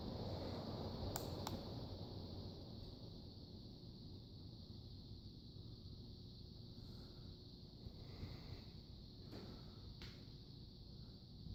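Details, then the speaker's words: Terra ceiling fan with its original flywheel, needing a 7 capacitor to start; low steady hum with a loose, buzzy switch housing rattle of roughly four a second underneath. "You hear the switch housing rattling."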